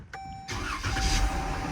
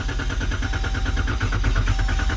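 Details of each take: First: 2014 Dodge Durango 3.6L V6 after repairing crank sensor wiring (earlier long crank, codes incl. P0335): one short crank, engine catches immediately and settles into smooth steady idle; normal quick start. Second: 2014 Dodge Durango 3.6L V6 with replaced remanufactured PCM, codes P0335, P2166/P2167, P2115/P2116: even starter cranking about three beats a second drags over three seconds before catching; extended crank traced to crankshaft position sensor wiring fault.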